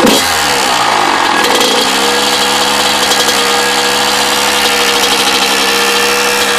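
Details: Freshly rebuilt Kawasaki KX100 two-stroke running steadily, loud and buzzy, with a ringing mechanical note on top; strange engine noise, and the owner suspects the power valve, not confirmed.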